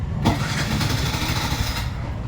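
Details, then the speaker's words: Bajaj BS6 motorcycle with codes P0336, P0351, P0352: engine catches, runs roughly at low uneven idle, misses and dies; won't hold idle, stalls when ridden, check light comes on; cause suspected, not confirmed. "ಓಡಿಸಿದ್ರೆ missing ಆಗಿ of ಆಗಿಬಿಡುತ್ತೆ ಗಾಡಿ. ನೋಡ ನೋಡಿ of ಆಗ್ತಾಯಿದೆ,"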